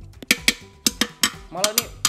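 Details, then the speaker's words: Tapping test on an older motorcycle frame compared against 2015 and 2020 Honda BeAT frames: dull, dead taps that stop short with no ringing, indicating a solid frame without hollow rust spots. "padat banget ini. Enggak suaranya tuh enggak mantul gitu."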